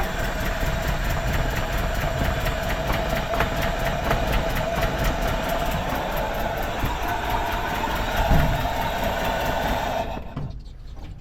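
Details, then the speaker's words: Mitsubishi L200 after EFI conversion, fuel pump wired to constant power: starts, loud lumpy irregular running; owner suspects distributor a tooth out or timing needs adjusting with timing light. "I think maybe the dizz is still out of tooth or it needs adjustment with the timing light."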